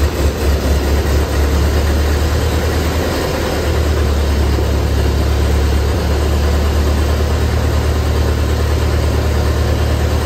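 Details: 1928 Ford Model A engine, revived after sitting a very long time, just started on gravity-fed fuel: low, even rumble with a slow steady beat and no knocks or misses; idling smoothly.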